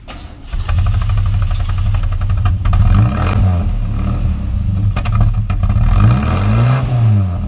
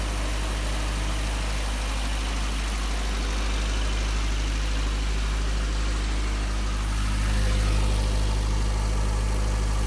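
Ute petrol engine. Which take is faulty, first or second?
first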